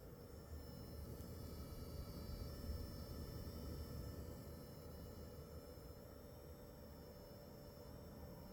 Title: Shappire Pulse RX 6700 XT insane coil whine sound